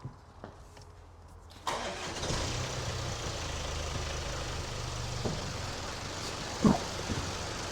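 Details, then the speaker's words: 2017 Range Rover Evoque after repair of a suspected turbo fault (turbo found fine once cleaned): starter catches quickly, steady even idle, no knocks or misses; sounds healthy. ">> Certainly sounds nice."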